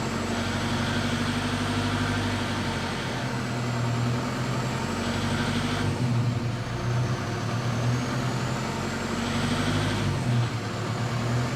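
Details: 2007 Toyota Fortuner 3.0 D4D 1KD-FTV diesel pulling at low revs under acceleration; a hard, fast rattle over the drone appears from about 1400 rpm. The injectors are brand new, so it is not an injector problem.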